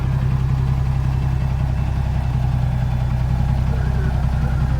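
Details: Mega 320 truck that hauls a backhoe on Koh Phangan, engine failed and was rebuilt with a new engine fitted. Deep, even diesel idle at three to four pulses a second with no knocks or misses: sounds healthy.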